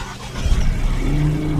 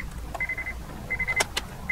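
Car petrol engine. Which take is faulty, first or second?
first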